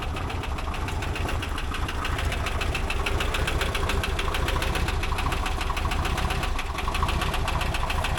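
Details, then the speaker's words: 1985 BMW 635CSI idling with a rapid, even ticking from the valve train. A couple of the valve adjuster screws are bad, and new valve parts are on order. "and you hear that ticking nuts from the valves and I've got new valve things coming like not just the uh adjuster screws a couple of them are bad"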